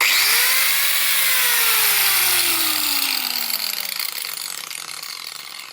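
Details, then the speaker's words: Vevor biscuit joiner: motor whine drops steadily as the blade stops, with a rapid dry gear-like clatter near the end, like a car with worn brake pads; noisy, harsh blade brake on spin-down. "Par contre, gros doute sur le frein de la lame qui fait le même bruit qu'une R5 qui n'a plus de plaquette de frein."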